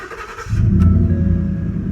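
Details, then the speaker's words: 2009-2014 Ford F-150, second start test after replacing the ignition lock cylinder: brief crank, then the engine catches at once and settles into a smooth, even idle; a clean, easy start as it should be. "And that's exactly how this truck's supposed to start. Just like that, nice and easy."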